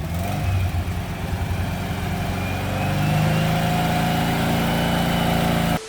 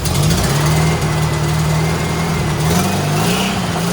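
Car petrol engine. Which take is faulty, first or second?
first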